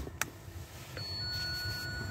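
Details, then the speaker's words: BMW automatic, ignition on, foot on brake, reverse selected: steady unbroken high-pitched warning tone indicating a faulty parking sensor; each sensor then checked by ear for ticking. "you can hear my parking sensors are playing up so we need to find out which one it is"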